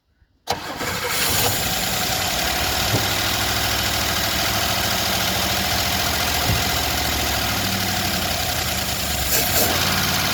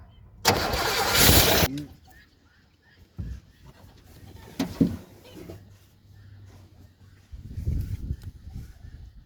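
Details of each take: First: 1977 Chevrolet Malibu Classic, odometer 102,000 miles (likely more), first start attempt with fuel poured into the carburetor bowl; fires straight away and settles into a steady, even idle with no stumbling; normal start and idle. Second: 1977 Chevrolet Malibu Classic, odometer 102,000 miles (likely far more): a starter burst cranks about a second without catching, then silence; cranks but won't fire, cause not confirmed.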